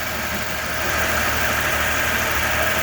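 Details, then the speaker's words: 1994 Toyota 4Runner, first start after replacing the left-hand cylinder head, bleeding air from the cooling system: steady, even idle with a smooth unbroken exhaust note, no knocks or misses; running smooth and healthy. "Okay, I'm gonna cut it off now and get the cooling system fully done, but it's running good. It sounds good and it's running smooth."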